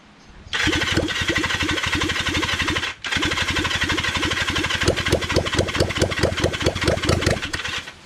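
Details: Kawasaki Zephyr 750 under restoration, carbs just fitted after ignition fixed: long steady starter churning with a brief pause, engine never catches. Turns over fine but won't start, out of fuel.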